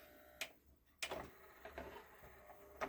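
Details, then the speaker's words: JVC 5-disc CD changer, long unused and very dirty, drawer had jammed and been forced: irregular clicks and clunks, about four in three seconds, as the mechanism strains but never reads the disc; cause not confirmed. "It knows there's a disc in there. Come on. Try to read it at least. It just making a horrible noise."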